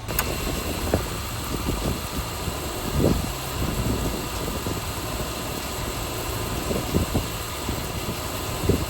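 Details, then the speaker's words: 2008 Subaru Legacy 2.5, manual, with the Cosmo Racing cold air intake fitted: a smooth, even idle with a steady low rumble and no knocks, misses or rattles. Normal idle. "Little cockpit sound. Y'all can hear what she sound like on the inside. Um, yeah. Cosmo Racing. You can hear it every time you tap it, too."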